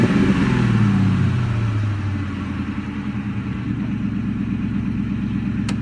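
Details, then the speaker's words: 2003 Ford Mustang GT V8 after small adjustments, missing bolts and nuts added, ground wire repaired: brief rev drops back to smooth even idle, steady low burble, no knocks or ticks; runs great. "So I've had a few little adjustments here, adjustment there, just trying to get little things cleaned up and get under there, and put some bolts that were missing or some nuts on some harness things, and this and that. But now the car runs great."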